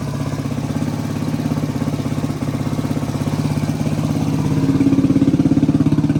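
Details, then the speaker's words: 1985 Suzuki DR250 survivor just revived, still warming up: single cylinder thumping evenly about 200 beats a minute with a small rise in revs near the end; quiet, no cam chain noise, idling slightly low. "Engine is really quiet. I don't hear the cam chain at all. Be a little bit low there. She's still warming up."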